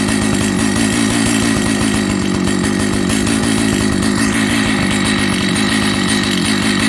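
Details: Old Jonsered 930 project chainsaw after a restart: steady high buzz with even firing, holding speed without stumbling, so it runs normally. The bearing underneath is dry, and the air filter cover mount is stripped.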